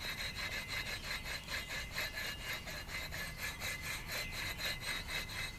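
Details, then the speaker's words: Water pump from a Dodge 318 during timing cover gasket replacement, turned by hand: dry, rasping grind about twice a second from dried-out, failing bearings. "hear that noise is making and that's not good that means the bearings are getting dried out"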